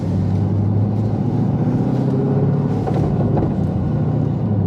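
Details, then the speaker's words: LS3 6.2 L swapped BMW E46 3 Series on a cross-country road trip, driving after a two-hour roadside fix: even, deep road rumble and steady engine drone with no grinding or clunking from the rear end; now feels more solid. Earlier the diff was known bad and noisy, clunking on every shift. "Oh yeah, it actually feels a lot more solid now."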